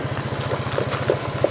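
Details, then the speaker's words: Honda Vario scooter that was hard to start, after replacing the rotor and adjusting it: smooth, even single-cylinder idle with no stumbles, running normally. "Monggo kontak on kita hidupin normal nggih toh. Enggak kayak seperti di awal."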